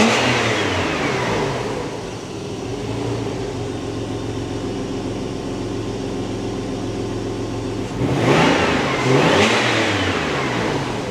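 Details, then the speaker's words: Early 2.5 Porsche Boxster 986 after air-oil separator job and throttle body clean, long-unserviced oil not yet changed: steady even idle then two clean blips rising and falling smoothly; engine sounds healthy. "And the state of the oil filter, lovely. Sounded good though."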